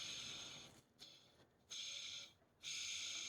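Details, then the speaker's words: Hoover WindTunnel Max brushroll spun by hand, bearings with no grease left: harsh, dry scraping hiss in bursts, metal-to-metal contact. Dry brushroll bearings, totally gone, need replacing. "i mean here an example of a brush roll in which the bearings have no grease left them at all and it's complete metal to metal contact"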